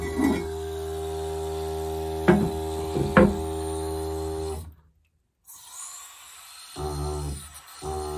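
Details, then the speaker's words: Toilet buzzing and humming loudly in the pipe while the tank refills after a flush, stopping when flow cuts off; owner suspects the fill valve and plans to replace it, also considering trapped air or the water shutoff valve. "flush the toilet my buzz is like crazy as you can hear"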